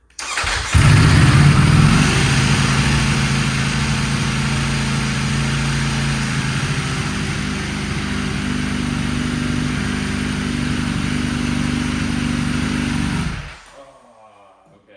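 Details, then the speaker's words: Salvage Ducati Panigale V4S, kickstand put down while running, broken wiring and error messages present: lumpy steady V4 idle for about twelve seconds then abruptly dies; engine stalls with kickstand down. "so I guess I can't have the kickstand down while it's running because we got some broken wires nonsense going on"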